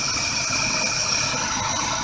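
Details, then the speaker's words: 1985/86 Chevy 454 RV V8 after new plug wires and spark plugs: even, steady idle with hiss on top, no stumble or miss, running much smoother; normal idle. "three plug wires new plugs and uh she's doing a lot smoothie"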